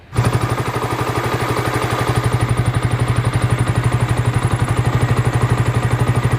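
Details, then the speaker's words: Yamaha Vixion (old model) daily bike idling before repair; regular clatter about four times a second over the engine from water pump bearing, noisy again only when hot, months after bearing alone was replaced; seal and bearing to be renewed. "Karena kemarin udah bunyi lagi setelah beberapa bulan dulu saya ganti bearingnya aja. Sekarang bunyi lagi. Cuman bunyi itu kalau pas mesinnya panas saja, jadi dia bunyi."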